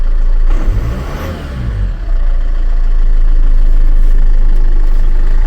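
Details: Land Rover Freelander 2 after throttle body fix, first start, problem thought to occur when warm; cranks briefly, catches cleanly, steady even idle with no stumbling; runs normally, fix not yet confirmed by driving.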